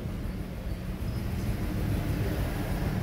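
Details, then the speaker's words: Mitsubishi Mirage at idle, check engine code P0301: rough, uneven stumbling idle that never settles, lacking power; cylinder 1 misfire persists after clearing code, ignition coil or injector suspected. "Ayan ang number one ah ang lumabas dito mga guys t301 number one cylinder mpire yan"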